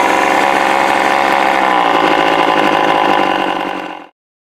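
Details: Old neglected Craftsman two-stroke chainsaw after partial carburetor rebuild with the diaphragm moved to its proper position, bar oil and fuel added: strong, steady buzz holding even speed about four seconds, then cut off cleanly; running normally.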